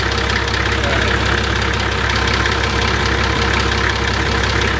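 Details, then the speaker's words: Nissan TD42 diesel after an oil and filter change, running again after air in the system was suspected: steady, even idle with a smooth low rumble and no knocks or ticks; the earlier noises are gone. "Yes sounds so much better how are the sound inspector honing into those noises they're all gone"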